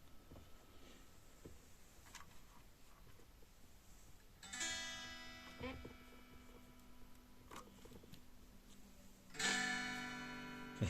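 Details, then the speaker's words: Line 6 Flextone 3 XL guitar amp: strums choke, break up and cut out after each attack; blocking distortion. "man just got blocking Distortion as well which doesn't help"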